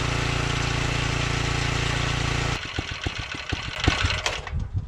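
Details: Old Montgomery Ward tiller with Briggs and Stratton engine, started outside after confirming good spark. Steady, even chug for a couple of seconds, then drops away to scattered clicks; running normally.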